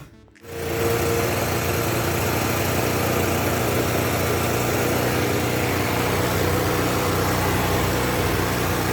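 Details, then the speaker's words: Yamaha Jog 50cc two-stroke scooter after cleaning gunk from fuel pump, idle screw turned outward: rpm dropped, steady even buzz with no hunting or stumbling, settling into a calm normal idle. "so as you can hear the rpm dropped a bit and is turning a little bit better so i'll just test it out uh even further and see what's going on"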